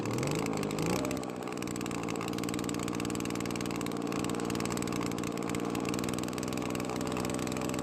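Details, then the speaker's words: Well-used Echo two-stroke leaf blower treated with Marvel Mystery oil, carburetor heavily readjusted; flares up then drops to thin uneven buzz that won't pick up, very low power. Low compression. "well the blower works but it is very low on power as to be expected"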